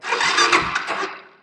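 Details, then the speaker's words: 39-year-old 1985 Honda ATC250ES Big Red, key on with neutral light lit, push-button electric start: short starter whir as the single catches quickly, then the sound dies away; clean, healthy start. "you turn it on and if your neutral light is on then you can start the bike and if you follow me there's electric start push button right here to start the bike"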